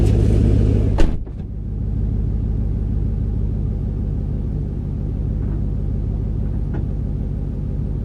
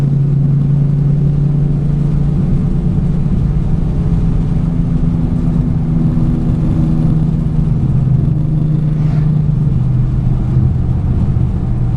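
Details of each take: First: 2008 Ford Mustang GT (S197) driving after the dealer found 5 bad coils causing misfire and MSD Blaster coil-on-plug coils were installed: brief thump, then smooth, even rumble with no stumbling, sounding smoother and lighter; misfire not yet recurring. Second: Ignition misfire on an 08 Ford Mustang GT V8 while driving under steady throttle: deep rumble with a slightly uneven, stumbling beat; dealer reported 5 bad coils, before replacement with MSD Blaster coil-on-plug set, which fixed the misfire.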